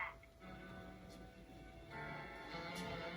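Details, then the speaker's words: Aiwa HS-JX707 walkman after repair, cassette reseated, azimuth non-adjustable: music plays steady and clear with crisp treble, no wavering or muffling; playback normal. "now this sounds okay so that is a that is the problem of of these devices with um nonadjustable asmo"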